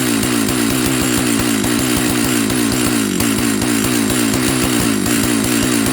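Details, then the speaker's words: Old Jonsered 930 project chainsaw restarted with covers on and bar oil added to check the oil pump: at high idle the revs pulse up and down instead of holding steady, cause unknown. The owner plans to reset the carb screws one turn out. "Okay. Doesn't like something. Not sure what yet. So, we'll see if we can get it to stay running."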